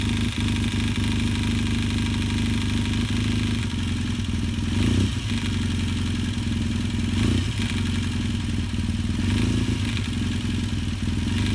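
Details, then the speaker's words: Yamaha XTZ 750 twin idling warm with fast metallic clatter on the right side of the engine, rising with engine speed; traced to the timing chain, with oil found nearly 2 cm below minimum. Chain and valve clearances were then redone. "ouais c'est pas joli à entendre ça m'inquiétait pas mal"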